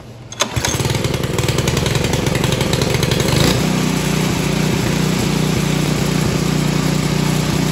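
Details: Craftsman snow blower 536.881651 with Briggs and Stratton 12A113 engine, after repairing a carburetor stuck needle valve, on choke: one pull, it catches, revs up, then settles into a steady, even small-engine idle; starts and runs properly.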